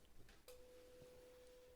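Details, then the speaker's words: Graetz Super 171W tube radio during restoration: a 500 Hz signal-generator tone fed to the EL84 socket pin 7 and the output transformer primary comes cleanly through the speaker with no distortion; output transformer good. "got sound that up a bit we're actually getting the beep coming out of the speaker so the output transform is fine which is great right"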